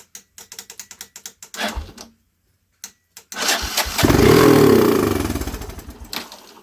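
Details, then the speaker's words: 1983 Honda 200E three-wheeler, non-runner, starting fluid sprayed down the carb: starter cranks, solenoid clicking, then it fires, revs about two seconds and dies; brief run, somewhat smoky. "It was a brief run, but it ran. Man, that's exciting to me."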